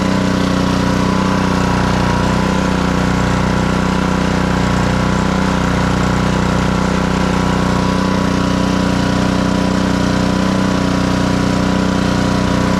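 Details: Black Max pressure washer with Honda GCV160 engine after repair of a crank-no-start and throttle adjustment, running with hose connected: steady even note, no hunting, stumbling or misfire; fully operational.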